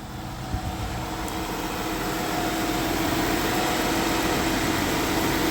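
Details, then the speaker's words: Springfield Coach limo, 3.6 L V6, after bypassing the squealing pulley with a new belt: smooth, even idle with steady low drone and no chirp or squeal; belt noise fixed. "And as soon as I started it up, that belt was screaming. I don't hear anything."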